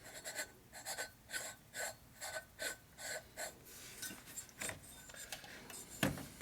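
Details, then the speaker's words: Lathe turning a part for a 1952 Harley panhead 74ci top-end rebuild. Rhythmic rasping bursts about twice a second as the tool chatters on an out-of-round, untrue workpiece, likely wobbling on stacked washers. "Hear it chattering? It's not round. It's not true at all."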